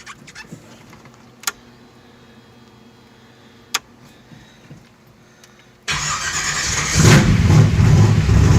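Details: V8 with newly installed Pertronix Ignitor electronic ignition and Pertronix 512 digital box, first start to set base timing: quiet lead-in with clicks, then catches and settles into strong steady idle; timing close.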